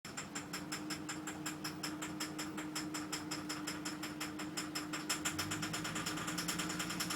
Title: VT Knocking/rattle noise 2